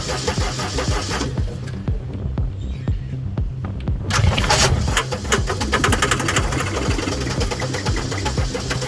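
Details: Gehl 4640 skid steer, Deutz diesel, quit and won't restart after running a few hours; even cranking at about two beats per second that never catches. The fuel shut-off solenoid isn't engaging, although a mechanic had suspected the injection pump.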